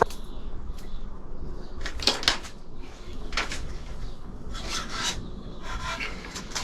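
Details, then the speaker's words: Royal Enfield Himalayan 411 swingarm rocked by hand during removal: short rasping squeals from a dry, binding pivot, moving freely only once loosened. "So, and here you could clearly still hear the scream. So, what you just saw nicely is that only once I loosened the swing arm did it really move freely."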